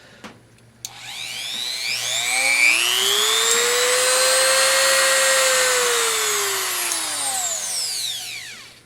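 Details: New replacement rotary tool (substitute for worn Dremel): high whine climbs smoothly to steady pitch, holds even, then winds down cleanly, no rattle or grinding; healthy.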